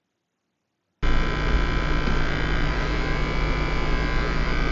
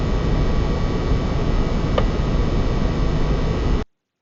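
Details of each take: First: PS5 console running, steady electrical buzz with thin constant whining tones; coil whine, reported alongside fan noise differing by Sony fan model, some consoles very silent. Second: PS5 console fan (fan type A) after about 15 minutes of playing Demon's Souls, steady even airflow rush under load with no clear squeak or whine; normal fan noise.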